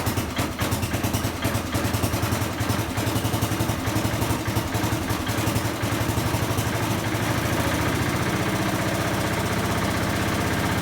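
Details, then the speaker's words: 1970 Bolens 1253 garden tractor, warmed up a couple of minutes after its first start in years: even, steady chug with no misses or knocks, though it occasionally puffs blue smoke and may need a valve job; normal idle. "we've got the tractor outside now as you can probably hear and we've let it warm up for a couple of minutes and just run a bit seems to be running all right but every now and then it seems to pop a bit of blue smoke out"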